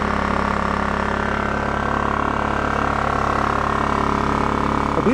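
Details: Scrapyard Honda EX650 generator on new fuel, still burning leftover premix from the carburetor: holds a steady, even drone at constant speed with no hunting, surging or knocking. Healthy running.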